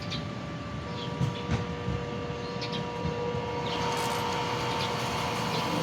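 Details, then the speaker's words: Jieyuan automatic water booster pump, running again after repair: steady motor hum that never cycles off even with the faucet closed; the pressure switch is not cutting off. "So umandar na actually kaso lang may problema pa itong isa yung kanyang pressure switch ay hindi tumatrabaho kaya kahit naka-off yung ah poset umaandar pa rin siya"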